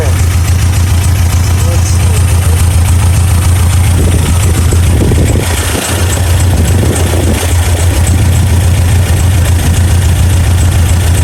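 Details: 1987 Toyota Pickup 22R four-cylinder, carbureted, steady low idle about three and a half pulses per second, no skipped beats, after plug check and timing adjustment following fuel pump and carb gasket replacement; all four cylinders firing, timing correct, idle nearly perfect.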